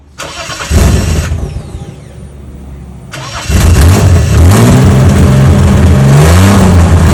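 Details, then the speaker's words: Holden VL Commodore, first start after installing extractors, cat and cat-back exhaust following ignition and cam timing adjustment: engine fires up into a deep, loud, throaty idle with rev blips; exhaust still loud, earlier sooty exhaust. "hopefully it's not as loud but not too quiet it's still a little bit loud cuz it's that was disgusting all the soot coming out"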